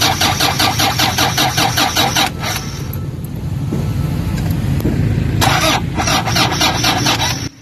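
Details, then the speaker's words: Toyota Fortuner diesel with common rail fuel system: starter churns in steady quick pulses, pauses, cranks again without catching; crank no start, weak battery gives too little cranking torque for common rail pressure. "so ang problema is sa Lowbat na yung battery guys mahirap na siyang mag-start so ang mangyayari diyan hindi natin mapapalabas ng malakas yung kanyang pressure ng fuel mula doon sa common rail"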